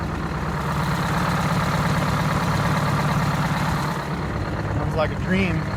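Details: Detroit 8V-71 two-stroke diesel in a 1969 International 400 dump truck, air-started because of a cracked flywheel housing, after the injector rack was checked following a runaway. Steady, busy, even idle with no knocks or misses. Normal diesel idle.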